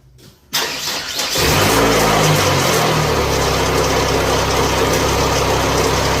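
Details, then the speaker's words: 2004 PT Cruiser 2.4 engine, believed out of timing, started for cam/crank correlation scope test: brief crank, then loud harsh idle with busy clatter; cause unconfirmed, hoped to be the tensioner. "I'm going to start this and kick on the exhaust fan and remember how loud this thing is"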